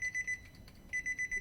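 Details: 2014 Nissan Note, ignition off during a sub power cable and hi-to-low converter install: bursts of high, clean beeps about eight a second, three then four, in a quiet cabin. This is the open-door warning chime.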